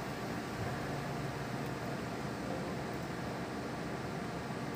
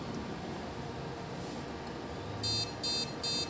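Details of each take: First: Desktop computer that had no display and beeping, after the component was reseated and power reconnected: only a steady fan hiss with no beeps or clicks, booting normally, problem solved. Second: Desktop computer at power-on with no display on the monitor: three quick, shrill beeps repeating over a quiet fan hiss; POST beep code for a memory fault.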